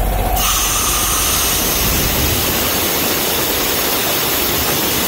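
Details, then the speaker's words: International 4700 7.3 Powerstroke truck with PTO-driven Vanair 185 UDEC rotary screw compressor after PTO rewiring: loud steady hiss of air from a partly opened outlet; compressor building and holding pressure, normal. "yeah the compressor turns on and is building up pressure and everything and seems to be working fine"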